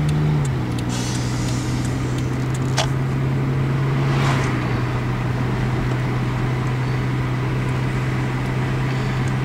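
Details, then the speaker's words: 1999 Toyota Corolla 1.8 on a test drive after replacing the power steering pump pulley that caused knocking: steady low engine drone with road noise and no knocking at the stop, issue fixed; normal running. "usually by now after you drive it for so long you start to actually hear the uh the knocking when you come to a stop so yeah I definitely think that that that definitely fixed the uh [Applause] issue"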